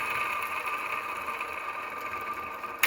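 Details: 2004 Ford F-150 5.4L, 19 years old: whine rising with engine revs traced to idler pulley; hand-spun pulley gives a rough, steady whirring hum from a worn bearing, replaced with all pulleys.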